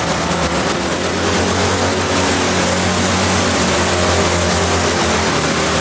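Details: Kei truck's rebuilt Mazda 13B rotary after blown center-rotor apex seal, in neutral while timing and distributor are being sorted: loud, buzzy continuous roar, no knocks or misses; normal running.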